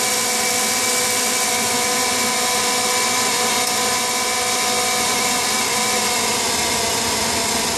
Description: Furnace noise. Only occurs in heat mode and at startup before blower starts.